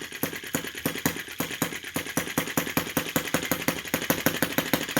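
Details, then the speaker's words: OKMO T16B brass half-track Lanz-type model tractor, petrol single, very first start with starter drill: slow, even chuffing about six beats a second, steady and unhurried at low revs; runs sweetly. "I love that sound. I'm pretty happy with that already. Really happy with the slow revving."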